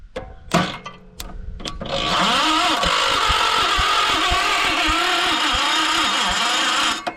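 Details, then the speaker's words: 1968 John Deere 140 garden tractor on a jump pack, choke on, first start attempt: starter drags the engine over slowly and labored, never catching; slow cranking, owner suspects the jump pack is going dead. "Ah, I think this pack is getting dead. Hang on."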